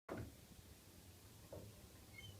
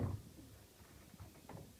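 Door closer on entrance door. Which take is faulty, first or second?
first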